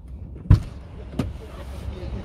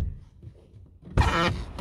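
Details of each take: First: Chevrolet Lacetti driver's door, previously sagging and creaking, now fixed without replacing the hinges: opens with a crisp latch click and soft thump, no creak or seal rubbing. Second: Sagging car door opened from inside: latch thunk then short rubbery squeaking creak as the door seal rubs against the neighbouring rear door; fix is shimming under the hinge to raise the door without replacing hinges.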